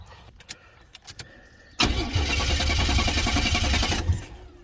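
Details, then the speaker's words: 1980s turbo Buick barn find, long sitting, smoking, hard to restart: cranks and catches, runs roughly about two seconds, then shuts off by itself; tick no longer heard, cause unclear. "and it shut off by itself just a little bit well not bad"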